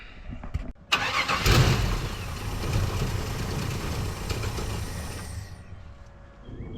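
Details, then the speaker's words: 1974 Chevy K5 Blazer, sitting 9+ months: catches on another squirt of fuel, runs rough and uneven, then fades out. Fuel starvation; the inline fuel pump pushes well but pulls poorly, and a non-vented replacement gas cap is suspected. "Hear it running. I'll give it another squirt down the yap."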